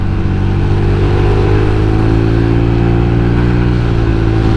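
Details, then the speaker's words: Replacement motorcycle engine, previously submerged in seawater and imperfectly repaired (leaking water pump), revved hard near its ~6000 rpm limit (~80 km/h): steady drone with rough crackling breakup, faulty magneto limiting revs; misfire crackle at high rpm. "karena kalau digeber dalam, nah kalian dengarkan bunyinya, terbang. Magnetnya kayak nahan gitu, kayak gemericik cik."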